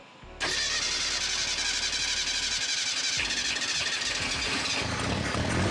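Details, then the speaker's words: Ford Pinto abandoned 30 years, started after cleaning points and restoring spark, partly on starter fluid: catches and runs rough and very loud with harsh open rasp instead of a muffled note; exhaust rusted off. "okay I call that a run pretty cool it actually sounds pretty good it's pretty loud yeah oh the exhaust is like a rusted off like right oh okay that makes sense"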